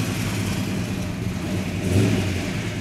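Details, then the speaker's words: 1967 Plymouth GTX 426 Hemi four-speed convertible, freshly restored, fired up before its first road test: deep, even V8 rumble rising smoothly on a quick throttle blip and settling back, no knocks or misses; normal start and rev, sounds healthy. "that sound nice oh sounds healthy it does"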